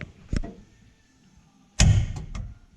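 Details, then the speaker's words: Holley EFI pre-start check in the shop, with the shifter output set to activate above 50% TPS: sharp isolated clicks and one loud clack as the throttle opens, which is the shift solenoid relay switching normally. "Once we crack 50% TPS, it activates the shifter. I can hear the relay clicking it. These solenoids should be triggered with a relay."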